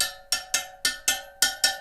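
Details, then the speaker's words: Newly laced dirt bike/supermoto wheel, spokes tightened a quarter turn about three times around. Sharp, bright pings at a similar high pitch, some spokes really tight; the spokes sound evenly and properly tensioned. "And you can find some of them are really tight. They'll ping really high."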